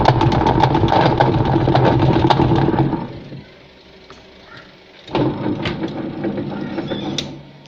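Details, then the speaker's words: Sanken TW-1122GX twin-tub washing machine, wash side under heavy load: loud, uneven rattling churn that stops and restarts, worse with heavier load; spin dryer fine; gearbox found worn with stripped teeth. "suaranya seperti itu kalau dikasih beban berat apalagi dia semakin Ho gaduh suaranya untuk mencuci tapi untuk pengeringnya sendiri tidak ada masalah"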